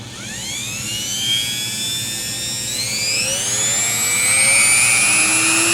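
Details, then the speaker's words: Rotary tool spinning up to high RPM while modifying an aluminum microscope-stand ring: whine climbs in pitch with a rough buzzy vibration at top speed; not the collet, a piece that doesn't spin true is suspected. "oh it's better though so you can hear that at the higher RPMs [Music] oh yeah [Music] that was vibration"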